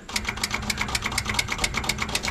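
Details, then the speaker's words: John Deere 755 turbo diesel track loader sat over 20 years, no key, terminals bridged with ratchet; quick even ticking about eight per second, no cranking; power suspected not reaching master switch; starter click, no crank. "so now when I hold that ratchet against these terminals now when I turn it I'm getting a little click from the"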